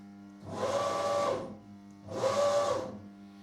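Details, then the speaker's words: CNC milling machine after troubleshooting following errors and retuning the feed-forward values: two clean jog moves at 2500 mm/min max speed, each a smooth servo whine about a second long with no stutter or chatter; the axes run normally. "That's max speed. And let's try bringing Zed up. No problem whatsoever."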